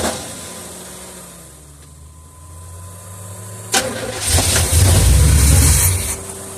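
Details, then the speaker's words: 1976 Olds 455 big block with 400 Turbo in Blazer/Suburban build, sat 155 days, carb choke cleaner sprayed in: starter churns steadily about four beats a second but engine never kicks or catches; cranks, no start, cause unknown. "normally you can here it kind of acting like it's going to start and I don't even feel it kicking"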